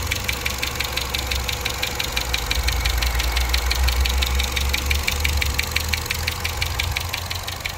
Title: 2011 Chevy Cruze LTZ Turbo engine ticking noise on top warranty inspection video clip #karcheckz